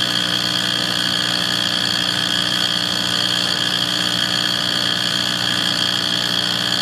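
A steady, even drone with a hissy roar on top and no change in pitch; the furnace is running rough, cause unclear.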